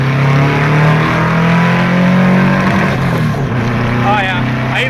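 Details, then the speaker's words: 2-litre engine on 44 IDF carbs with 1.25 mm (125) main jets and 32 mm venturis climbs smoothly and strongly to the rev limiter, then backs off cleanly. It sounds well jetted; 125 mains are confirmed as the right jets. "hit the rev limiter all right i gotta slow down definitely definitely 125s are the jets for this 44 idf 2 liter engine"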